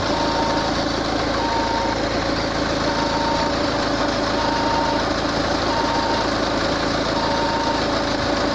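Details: Peugeot 508 at smooth idle: regular short high beeps about every second and a quarter from the engine bay; source unidentified.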